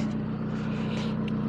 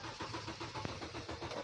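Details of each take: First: Kia Rondo after crank-no-start repair (catalytic converter apparently removed, sensor to reconnect): steady, even engine hum, low smooth drone, no misses, knocks or surges; runs cleanly. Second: Kia Rondo that will not start: steady starter cranking with even compression pulses about five per second, engine never catches; power present but a missing ground suspected, later traced to a bad test-lead connection.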